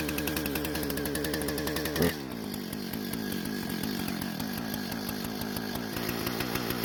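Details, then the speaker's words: Husqvarna professional-grade chainsaw after fuel-leak repair and a modified air filter refit, cutting small wood: snarls up crisply, then steady even drone under load with no bogging or stumble; runs great, no carb adjustment needed. "so it seems to be running great with no issues at all and I'm not going to make any adjustments to the car but because it started just fine rev the way it's supposed to and also did not bog down when cutting"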